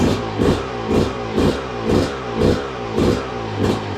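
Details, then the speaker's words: 2002 Yamaha YZ125 two-stroke dirt bike that sat a long time, first start after cleanup, choke on: crisp throttle blips about twice a second, clean rise and fall, no knocking or clatter; crank sounds good, runs strong. "Yep. She runs good. Let's go. Well, there you go, guys. Running really good too."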